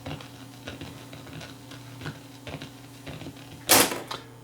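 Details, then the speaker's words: Sony TC440 reel-to-reel on tape playback: irregular ticking clicks, roughly one a second, over a faint hum; the owner's nearby AM transmitter was picked up and recorded onto the tape as interference. "noise that I'm hearing there that's an effort for my am transmitter being picked up and being recorded I was wondering what the hell that noise was that's my AM transmitter that's causing that"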